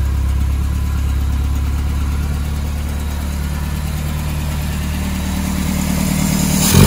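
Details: 1978 MGB four-cylinder after carburetor rebuild: even, steady idle that picks up cleanly with a short rev at the end; carburetor running fine.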